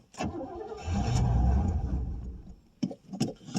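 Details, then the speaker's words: 1989 Pontiac Safari wagon, cold start after 18 years off the road following a deer hit: engine catches and runs unevenly a few seconds, then sputters into irregular coughs; owner suspects very old gas, gummy carburetor or plugged main jets, or simply lacking fuel. "Or it just might be basically out of gas. Okay, it kind of kind of will run. Now I say that. Yeah, she's just lacking fuel really bad."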